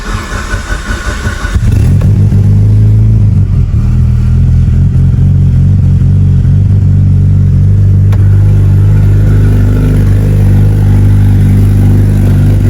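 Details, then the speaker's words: Mitsubishi Evo with internal wastegate turbo, first-ever cold start with no throttle before tuning: catches after a short crank and settles into a steady, even low idle, no stumble or tick; normal cold start idle. "But it sounds good. It's running good. Nice start."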